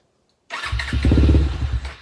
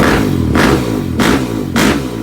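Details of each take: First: Suzuki LTR450 quad, believed 2006, fuel-injected, long sitting: catches and fires unevenly for about a second, then fades out instead of idling, won't accept throttle; stalls after starting, owner suspects fuel lines or injector, unconfirmed. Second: Suzuki LTR450 quad, believed 2006, fuel-injected, sat for a while, running after its injector was cleaned again. A loud single-cylinder bark through repeated throttle blips, each rev climbing and dropping back cleanly. Normal running.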